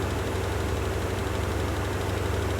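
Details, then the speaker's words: Land Rover Discovery 1 V8 being recommissioned, second start: fast, even drone around 1500 rpm with no hunting, idle far too high. "okay that idle is way too high I'll check the manual I'll see if there's an idle adjustment we can make"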